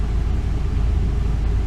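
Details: 2002 Ford E350 Econoline, 5.4 Triton V8, a little over 100,000 miles, after new spark plugs and one coil pack for a misfire and P0351 code; deep, even rumble with no stumbles or skipped beats, now idling smoothly.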